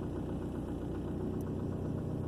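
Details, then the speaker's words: 2003 Ford Focus four-cylinder, formerly throwing P0302 for a cylinder 2 misfire, three months after head gasket sealer went through the cooling system: steady, even, smooth idle with no misfire stumble. The check engine light has stayed off. "and the check engine light has not come back on which is the longest it has ever gone without being on after getting this number two cylinder misfires issue"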